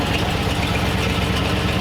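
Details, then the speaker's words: 1940 Ford Tudor after carburetor cleaning, cold with choke on, idle mixture not yet set: even, slightly raised idle with smooth low rumble and steady pulses, no misses or knocks: normal cold fast idle. "I have the idle the choke still on it's still cold so it's idling a little high"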